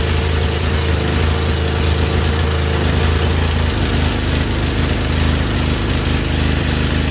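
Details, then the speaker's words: Husqvarna YTH2148 lawn tractor, Briggs & Stratton Vanguard V-twin, after carburetor work: low, lumpy idle stumbling and surging irregularly; one cylinder not firing consistently, its exhaust pipe cool enough to touch while the other is too hot. "this side is not going not at least not consistently I could basic I can can touch the pipe whereas this side I can't even get near the"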